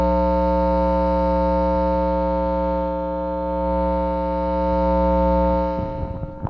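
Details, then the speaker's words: Guitar amp with guitar plugged in: loud, steady low hum with buzzy overtones that grows as master volume is turned up but disappears when gain is turned down, even at max volume; source not pinned down. "pretty sure you can hear that it's pretty damn loud it gets louder as the volume the master volume gets turned [Music] up"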